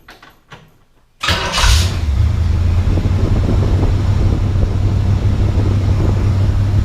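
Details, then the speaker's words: 1968 Camaro SS V8 with newly installed, shimmed starter and new power wire: short crank, then engine catches and settles into steady even rumble with no starter whine; starter engaging cleanly. "So I don't know if you can hear, there's no whine out of that, so our shims look good."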